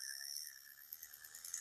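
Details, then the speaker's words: Vintage Zebco Cardinal 3 spinning reel after a clean and lube with Zebco grease, anti-reverse left dry to keep its click. Cranking gives a quiet, even, high-pitched whir with no clicks, grinding or catches. Smooth, healthy reel that "purrs like a kitten." "But anyway, there it is. Listen to that thing. God, it just purrs like a little kitten,"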